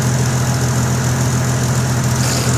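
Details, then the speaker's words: 1998 Jeep XJ 4.0 six-cylinder with ported 7120 head and ported intake, MagnaFlow muffler, idling: raspy puffing exhaust leak from a crack in the exhaust; owner plans full 2.5-inch exhaust from collector back. "It's got a MagnaFlow muffler on there. You can hear my nasty exhaust leak. But I'm not too worried about it because I'm gonna redo the whole exhaust 2.5 inches all the way through."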